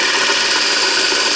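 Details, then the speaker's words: 24 volt DC motor reassembled after service, seals removed, very light oil, brushes and armature cleaned: loud steady high hiss and rasp while spinning fast; light bearing noise from the very thin oil and uncapped bearings, no sparking. "You can hear the bearings a little bit because the oil is very thin. And there's no caps on the bearings."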